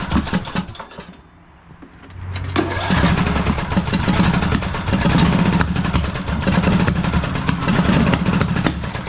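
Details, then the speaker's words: 2009 Craftsman YTS 3000 with a 21 hp Briggs & Stratton twin, restarted after repairs for heavy blowby: it runs ragged with uneven popping and heavy backfiring instead of a smooth idle. Owner says timing is correct and is baffled. "Oh boy. Why is it running like that? Don't do this to me."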